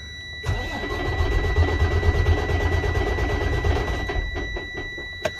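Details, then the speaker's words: Freightliner DD15 diesel after major overhaul and crankshaft replacement, warm and just run: starter churns steadily about four seconds, turning over but never firing, then cuts off; crank, no start. "engine doesn't want to start it was just running you can see the temperature it was running i had to run it it now doesn't want to start he should start right away"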